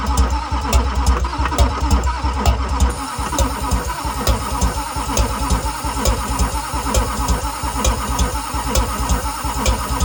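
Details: 2001 LB7 Duramax diesel pickup, cranked while ether is sprayed into the intake: steady starter cranking about once a second with uneven compression beats. The engine tries but never catches; no start.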